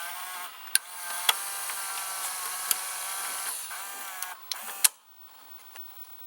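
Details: 1987 Emerson VCR872 VCR, gear-driven idler with no tire: light whirring gear drive with sharp clicks as the mode switch steps, then quiet; mechanism fully working.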